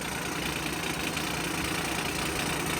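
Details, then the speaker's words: Via Motors VTrux with V6 under hood, idling with the front clutch driving the generator disengaging: steady rattly, diesel-like clatter, not an exhaust leak; noise stops once clutch fully engages, normal behaviour. "All right, so that's about as loud as it gets. At idle, it sounds almost like a diesel."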